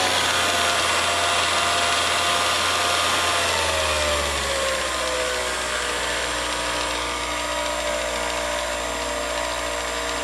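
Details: Revere 85 movie projector after oiling with sewing machine oil, fan running at full speed: steady whirring and clatter, then pitch sags lower as the drive engages; motor slows under added load, cause unconfirmed.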